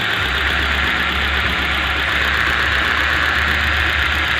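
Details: 2011 Hyundai i20 petrol engine idling during a misfire diagnosis with coil packs unplugged one at a time. Slightly uneven low thrum. Unplugging cylinder 2 makes no change, so cylinder 2 is the dead, non-firing cylinder; injectors and coils are next to be swapped.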